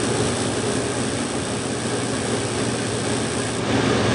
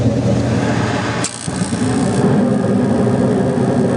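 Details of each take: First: 8.5-ton Carrier gas heating unit on a no-heat call, after a board reset: steady draft inducer hum, gas smell but no burner whoosh and no ignition. The cause was an arcing igniter wire. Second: 8.5-ton Carrier gas heating unit after a wire was insulated with thick vinyl tape and electrical tape: fan rumble dips briefly, then the burners catch with a soft whoosh and settle into an even roar. Normal ignition.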